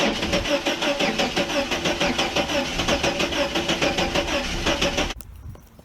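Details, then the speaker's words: 1989 Chevrolet S10 Blazer that won't start after everything was reconnected: starter churns about three even beats a second for five seconds, engine never catches, then quiet; cause unknown, owner wonders about cables or electrical. "Here we go again. Not going to start, huh?"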